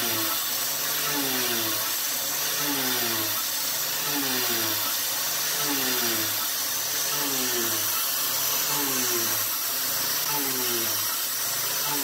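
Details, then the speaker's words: CNC milling with a 3/8-inch 3-flute YG1 end mill: cutting roar dips and recovers in pitch about every 1.5 seconds as the spindle bogs under load; width of cut too heavy, about 0.080 inch suggested instead. "you can definitely hear that the spindle was bogging down a little bit so I know I think probably 80,000 width of cut would probably be a better way to go"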